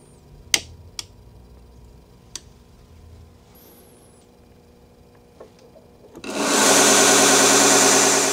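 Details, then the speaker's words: New Vevor 1x30 belt grinder with servo motor speed control, first run at 1750 RPM. Steady, even hiss and hum with no wobble or knocking, much quieter than the old grinder and not shaking at all: normal smooth running. "All right. So, right off the bat, first impressions, it is much quieter than the old one, and it isn't shaking at all whatsoever. I mean, that is just running really, really smooth."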